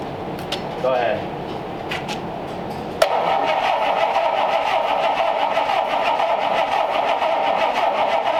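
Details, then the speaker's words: 1932 Ford Schroll Coupe with an Olds engine on its stock distributor, first start attempt since purchase, fuel squirted into the carbs. The starter cranks unevenly, then one sharp backfire bang shoots a big fireball, followed by rushing; it won't catch and run. "good thing there's wood underneath the car that shot a very big fireball it's fun it's not going to start"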